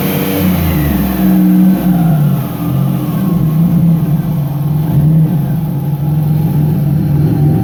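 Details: 1999 Nissan Frontier turbo with crank/cam signal errors fixed by setting trigger and home filters to 0: a clean, even free rev up to 4500 rpm with a faint rising turbo whistle at the top; healthy, no longer breaking up near 1400 rpm.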